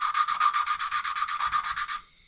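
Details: Mini bike Honda swap engine, ported cylinder head: quick even back-and-forth valve lapping, about eight strokes a second, fine scratchy hiss turning from gritty to finer as the valve seat mates.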